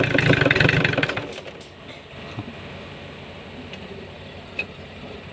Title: Hard Start Komatsu Engine Lose Compression